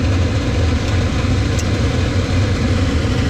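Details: Laars Pennant two-stage commercial hydronic boiler (no-hot-water complaint), igniter drawing 3.9–4 A: a constant deep rumble with no surging or popping as the flame proves and water temperature climbs from 129 to 149. Normal burner firing.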